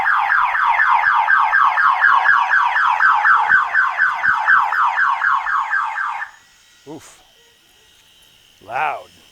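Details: 1985 Chevrolet Monte Carlo SS, flooded, with the battery reconnected at about 11 V and the fuel pump fuse pulled. A loud warbling siren sweeps about four times a second for six seconds, then stops; the anti-theft alarm tripped on reconnection.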